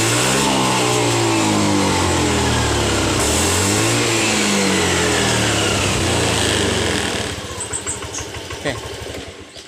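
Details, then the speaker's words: Honda BeAT FI scooter: fine at light throttle, but at full throttle engine surges and stumbles with wavering pitch and loses power, normal once throttle eases; faulty TPS throttle position sensor. Full-throttle stutter. "Oke seperti itu permasalahannya dan permasalahnya ini sebenarnya di sensor TPS nya yang rusak ya"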